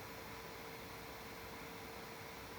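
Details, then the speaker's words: GMKtec K11 mini PC, Ryzen 9 8945HS, running a benchmark in balanced mode at about 70 °C and 86 W: smooth steady airy rush with faint high tone, fan spinning faster under load, running normally. "If we run the grid auto spot benchmark, we're around 70 degrees Celsius, and the system runs a little louder. Sounding a bit like"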